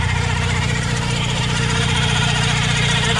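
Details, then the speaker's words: 1991 Honda Prelude, warm, idling; the squeal began after hard braking in rain. Owner suspects the idler tensioner pulley; spraying water stops it and the harmonic balancer visibly wobbles. A quick, repeating high chirp sounds over the rumble; belt chirp. "spray water on it stop it's kind of chirping and look at that bottom harmonic balancer down there it's really shaking around the lot"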